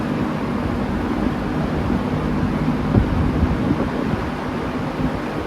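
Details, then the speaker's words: Vintage Manning Bowman fan, unrun for 5–6 years, likely has a speed coil, questionable switch; running on medium: steady even whoosh over low motor hum, no ticking or scraping, normal. "Pretty darn quiet. Excellent startup sound, as you heard. There's medium."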